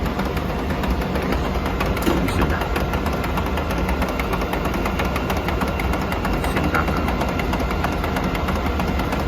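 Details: Xerox WC7835 colour copier: a loud steady rumble with a dense rattling grind, because the full waste toner container has clogged the waste toner transport pipe.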